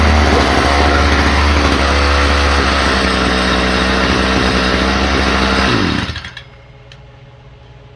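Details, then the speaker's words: Stihl FS45 trimmer after carburetor ultrasonic cleaning, carb fuel pump very weak; small two-stroke screams unevenly at high speed then dies after about six seconds; running poorly and stalling, idle turned up, may not cold start. "It will run. The fuel pump is really weak in it because uh here we'll show you I know."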